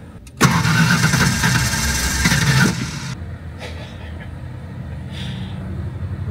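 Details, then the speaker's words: LT van, coolant bubbling and water shooting from radiator: starter churns about three turns a second for two seconds without firing; crank no-start with suspected blown head gasket. "again pretty sure the head grasset is blown in it just by evidence by all the bubbling and the radiator"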